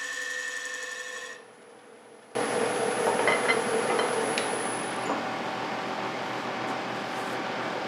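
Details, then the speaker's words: Walnut chip-and-dip bowl on the lathe: steady high, thin whine and rasp over the cutting noise as the thinning bowl wall vibrates; less bad than some earlier cuts, wall and bottom thickness being checked. "Hey, you may have also noticed that the bowl is starting to vibrate a little bit out here. You can hear that high-pitched noise."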